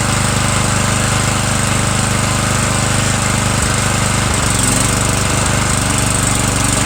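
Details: Murray 17.5 hp riding mower mowing with 42-inch deck and new deck belt, small gas tank leak: steady loud single-cylinder drone under mowing load, even; PTO clutch slightly sticky, otherwise running fine.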